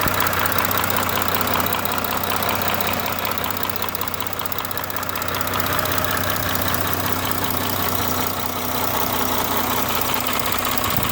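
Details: Audi B9 3.0 TDI (CRTC, 272 PS) diesel idling warm after a drive, oil at 78 °C. Light, fairly regular ticking over the clatter, about two or three a second. Owner asks whether it is the camshaft; source unconfirmed.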